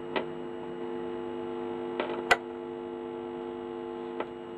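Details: Standard Hi-Fi record player amplifier, reassembled after refurbishment, first test: steady low hum from the speakers with faint clicks; amplifier works but not the expected buzz from touching the input wires.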